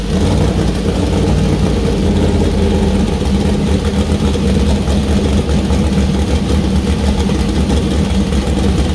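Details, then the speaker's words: First start of new 2000+ HP LS build (Dart LS Next block, 4in stroke crank, Brodix BR3 heads, .750 lift solid roller cam): deep, lumpy idle with steady firing and clean revs, no knocks or ticks; healthy, minor oil and water leaks noted. "All right, that was nerve wracking, but it runs. Yeah, it runs. Sounds good too. Yeah, sounds pretty good."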